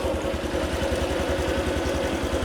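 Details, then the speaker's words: Low-mileage (about 4 km) Honda Super Cub scooter, started first try without throttle, no white smoke: an even, quick single-cylinder putter with no knocks or rattles. Normal idle. "จับถอยเสียให้ดูนี่ฮะทีเดียวติดครับไม่ต้องบิดเครื่องเร่งช่วยเลยฟังเสียงเครื่อง"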